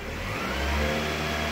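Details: 1998 Toyota Camry after rewiring a new fuel pump harness plug, pump seeing about 14 volts: engine revs cleanly from idle to about 2000 rpm with smooth even note, no stumbling; normal revving.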